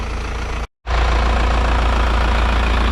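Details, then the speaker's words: Isuzu NPR cab-over 4-cylinder diesel truck revived after sitting for years: after a brief dropout, steady even low rumble with unchanging beat, idles cleanly with no misses; healthy. "She's still running, she's still sounding good."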